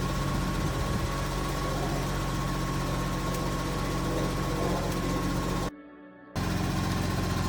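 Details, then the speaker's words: BMW E30 drift car, after replacing the broken belt; it ran hot when the belt failed. Steady, even engine hum with no knocks or squeals, though it is blowing a little smoke (owner hopes the head gasket survived). "the car sounds good but she's blowing a little bit of smoke"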